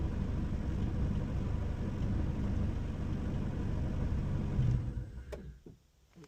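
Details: 1996 Honda Civic hatch with a JDM B20B swap and GSR 5-speed manual: low, steady idle rumble for about five seconds then fades and dies; the owner's idle gremlin, possibly the input shaft. It stalls at idle but fires right back up; cause unconfirmed.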